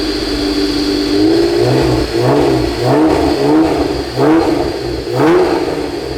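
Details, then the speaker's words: 1991 Honda NSX, junkyard restoration: smooth, clean rev blips around 2,000–3,000 rpm with no rasp or rattle. The exhaust tone sounds healthy and tight. "That's a good tone. Yeah. It's like at 2 to 3, it's like really nice."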